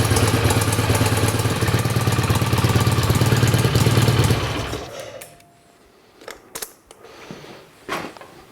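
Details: 1967 BSA A65 Thunderbolt twin, first run after a full engine rebuild and starting to warm: a steady, even twin-cylinder idle of about three pulses a second, then the engine is shut off and a few handling clicks follow. It runs fine.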